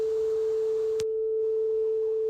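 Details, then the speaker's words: Cassette recorder after its low-speed motor (3-screw mechanical centrifugal governor, hard to adjust) was replaced with a motor that has an electronic speed controller; a test cassette of 440 Hz and 3150 Hz tones plays a steady pure tone with no waver or drift, so tape speed is correct. "ඒ නිසා මම අලුත් මෝටරයක් replace කරනවා මේ වගේ ඉලෙක්ට්‍රොනික පාලකයක් තියෙන. දැන් මේක speed එක නිවැරදි ගානට හදලා තියෙන්නේ."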